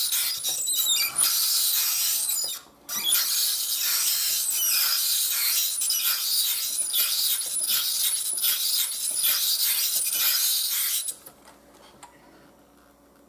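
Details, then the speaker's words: Ibili five-blade manual rotary shredder grating potatoes: high scratchy squeal repeating each handle turn over shredding noise; dry squeaking drum. "I'm not really worried what it looks like but that noise is yucky"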